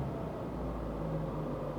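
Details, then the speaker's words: Opel Ascona after a new cambelt, water pump, oil, coolant and a fresh-fuel flush, warmed to running temperature: a low, even rumble with no misses or knocks. Smooth, steady idle. "this is [Music] decent this is definitely waking up for sure"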